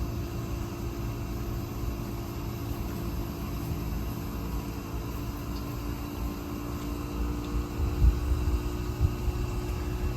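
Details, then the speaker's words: 12000 BTU mini-split heat pump in winter, outdoor temperatures around 20s–30s °F, in defrost mode drawing up to about 1000 watts: low steady compressor hum with faint tones slowly building louder, fan quiet; normal defrost-cycle compressor ramp-up. "it's ramping up you can and I hear it's slowly increasing and then let's see how high it goes here"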